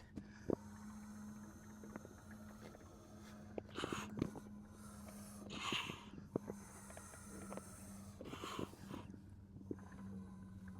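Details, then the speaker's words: Boat diesel tank breather line being blown through after it seemed fully plugged: a steady low hum with irregular soft gurgles and pops as air bubbles through; air is passing again, though the line may still be restricted deeper down. "Good news is, air is traveling now."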